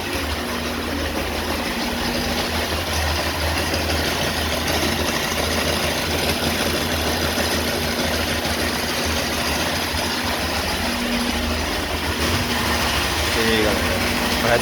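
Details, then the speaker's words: Honda Bros 160 motorcycle: rough, heavy rumble with an uneven knock at idle, caused by play in the balancer shaft bearing; fix requires opening the whole engine to replace the bearing. "o defeito da moto aí ó ó a folga rolamento balanceiro aí galera ocasionando aquele barulho todo lá ó"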